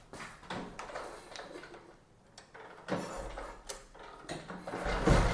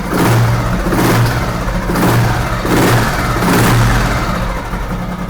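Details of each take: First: 1970 Royal Enfield Bullet single with an unopened, sealed engine, started by kick: after a few kicks it settles into a steady thump with a light regular clatter over it; the engine is tight and the noise comes only from the clutch. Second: 1970 Royal Enfield Bullet single with an unopened, sealed engine, throttle blipped: deep even thump rising and falling smoothly with no humming noise or rattle, which reportedly occurs only on B1/G2 engines; engine healthy, only the clutch makes noise.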